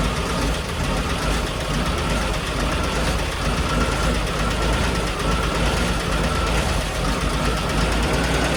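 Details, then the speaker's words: 1970 International Scout running for the first time in years: rough, uneven idle with faint ticking; light valve train tick, owner suspects a lifter or adjustment, no major knocks heard. "You hear a little valve train tick, but I'm not overly concerned about that. We can see if we can adjust it. It might have a lifter."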